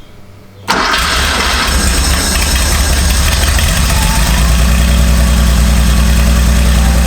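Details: Porsche 911 garage find that had been sitting, with new OEM plug leads fitted; cranked with the DME relay out to build oil pressure, then fired. Short crank, clean start within a second, then a steady, even idle with a firm low beat.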